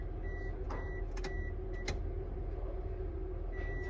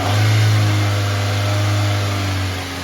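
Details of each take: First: Key on with the crankshaft position sensor unplugged: no fuel pump hum at all, only background noise and a beeping chime; the fuel pump does not prime without the crank sensor signal. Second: 2006 Toyota Corolla engine revved from idle during a fuel injector scope test, with injector frequency rising with rpm. A smooth, even low drone that eases as revs settle, with no ticks or knocks. Normal running.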